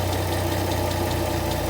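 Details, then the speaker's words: 2010 Dodge Challenger after crank-no-start fixed by swapping starter relay, 30 amp fuse and No. 6 injector/coil fuse: even throaty idle with regular low pulse and faint valvetrain tick; engine runs normally. "so i swapped this out and then i this one and this one out you know and boom the car started up"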